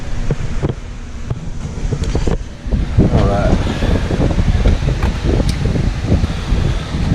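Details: 2007 Honda CR-V: irregular bursts of quick clicking and rattling from the rear door over a steady engine hum; failing rear door lock actuator chattering, noise gone after replacement.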